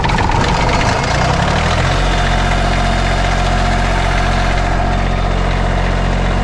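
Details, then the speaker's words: Generac diesel light plant generator bought at auction: heavy diesel settles to a low, uneven idle with a steady clacking over the drone; runs rough, and the earlier belt squeal has gone. "Rough, but it works. That belt squeal magically went away as well."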